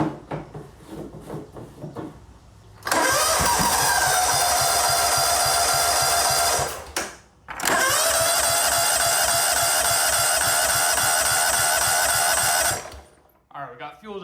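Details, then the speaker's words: John Deere GT225 lawn tractor after adding fresh gas: two long cranking bursts with an even chug that never catches. The owner expects long cranking to refill the carburetor bowl. "I'm sure it'll probably have to crank quite a lot till it could get fuel back to the carburetor, fill the bowl up."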